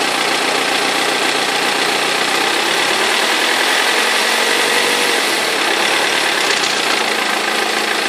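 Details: 2003 BMW E46 320d diesel at idle: uneven knocking rattle over the diesel clatter from a perished crankshaft pulley vibration damper; both belts eventually fell off.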